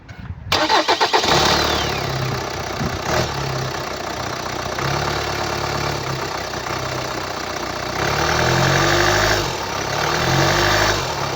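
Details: 2011 Hyundai ix35 F5D14, 2.0 diesel D4HA, 184 PS, 180,999 km: cranks, starts, then idles with an uneven throb and extra rising-and-falling pulsing; attributed to a defective control unit.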